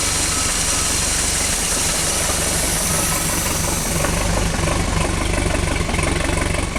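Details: 1976 MerCruiser 3.0L marine engine still idling rough after a complete tune-up, rebuilt carburettor, and dwell and timing set: low, uneven idle with a stumbling, lurching beat, cause not pinned down.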